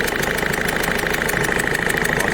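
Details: Peugeot 207 1.5 HDI diesel at idle: steady clatter with a sharp, regular chuffing tick, about eight per second, from one injector whose seal is leaking and blowing gas, with signs of escaped gas around it while the others are dry. Injector seal leak; the fix is removing the injector, best done with the engine warm.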